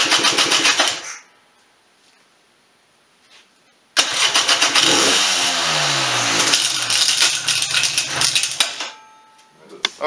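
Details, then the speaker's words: 1996 Polaris Sportsman 400 two-stroke ATV after top-end rebuild, jump-started on dead battery: catches and idles with loose tinny clatter; sounded like engine but was broken recoil starter and lever rattling in cracked pull-start cover. "so before when you heard me start off the engine idle fear heard something rattling around look at that so all the recoil broke and this little lever the next time to hear broke off"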